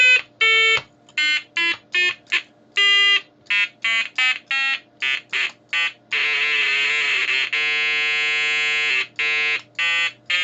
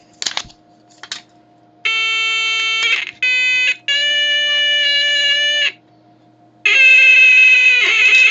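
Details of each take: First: Major Morgan electronic toy organ after painting new conductive carbon paint on the keypad: short notes then a clean single held tone, no warble when pressed properly; keys now making good contact. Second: Major Morgan electronic toy organ after cleaning the keypad with alcohol: steady notes that waver and break up between presses, a warble from worn conductive coating under the top keypad membrane; no better yet.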